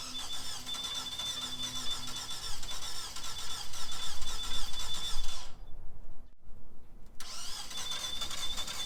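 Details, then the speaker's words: Car with no battery cranked on a Gooloo GT3000 jump pack: starter churns steadily, pauses, cranks again, never fires; crank-no-start, cause unknown. "As you can see, this car has no battery in it at all, and it was turning it over like crazy for a long time. It's just not going to start."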